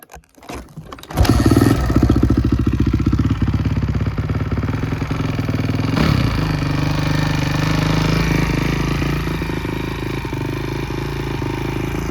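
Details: Honda CRF250R after engine rebuild, valve clearances checked, head torqued to spec: fires at once, settles into a steady even single-cylinder thump with a light blip, no knocking; runs healthy.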